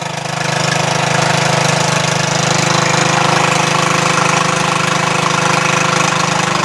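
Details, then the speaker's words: Craftsman LT1000 lawn tractor single-cylinder engine idling after valve adjustment, carburetor adjustment untouched: steady even thumping idle, no hunting or surging; may smoke from penetrating oil; sounds great, healthy idle. "Wow I didn't do anything to the adjustment on the carburetor this is idle it sounds great no surging"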